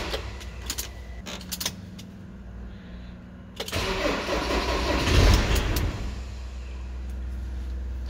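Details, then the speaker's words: Ford Transit Mk6/Mk7 van: a few clicks then steady cranking at about 220 beats a minute that never fires, mimicking starter, battery or wiring fault; caused by faulty ignition switch electronic contact. "if we just try to start it you can see it's just winding over and it's not firing"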